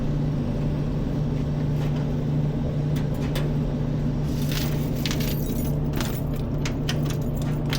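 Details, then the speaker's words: Laundromat gas dryer that a customer said was not getting hot, on hot start: gas valve clicks on and burner lights; steady low drum rumble with even burner roar, no knocks or scraping. "So I hear the gas valve kick on. Okay, so we're got some fire going in the box there."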